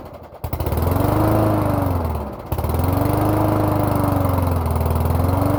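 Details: Toro lawn mower with a 3.5 hp Briggs & Stratton single-cylinder engine, finally running after a hard cold December start: it hunts, with speed swelling and sagging every couple of seconds; surging, cause uncertain (owner suspected the carburetor).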